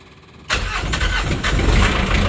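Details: Diesel Sea Ray 240 Sundancer boat, first start after sitting a while, electric fuel pump primed: quiet, then it catches within moments and settles into a steady, even rumble; clean start and normal idle.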